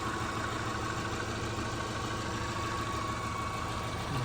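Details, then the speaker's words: 2003 Subaru Outback Impreza flat-four, 265,000 miles, warming up in snow with noticeable blow-by: quiet, even idle ticking right along with no knocks or stumbles; runs fine. "Battery's gonna get a steam cleaning when we get back, for sure. Just ticking right along though."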